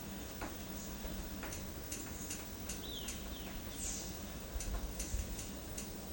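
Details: Ceiling fan: faint, roughly regular ticks about twice a second over a quiet room hum, birds outside; the fan ticks as it turns.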